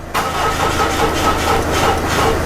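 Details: Jeep Liberty CRD with VM Motori diesel, being jump-started with a little spilled fuel: steady starter cranking with an even, labored churn that never catches; cranks but won't start. Cause suspected, not confirmed.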